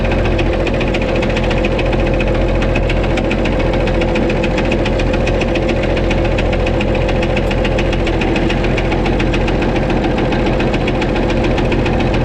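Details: White 2-155 tractor restarted at idle: a constant hammering knock about three to four a second with a slight miss. Blow-by, exhaust and oil pressure are normal; internal engine knock, cause undetermined, engine work planned.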